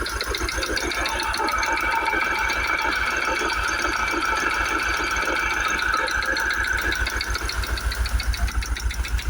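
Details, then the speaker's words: Jaguar XKR supercharged V8, just cold-started with a misfire; sharp, regular knocking at three to four per second over idle, loudest at the top of the engine; suspected supercharger or timing chain, cause unconfirmed. "hopefully that's picked it up on camera, just how horrible that knocking is. I mean, it's definitely coming from there."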